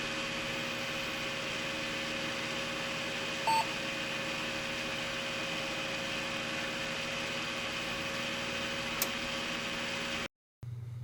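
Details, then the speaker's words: Old PC's original cooling fan: steady loud whooshing rush with constant whine and hum, quite noisy next to your head. "um yeah you can definitely hear it it's quite noisy when you're just sitting next to it because it's next to your head"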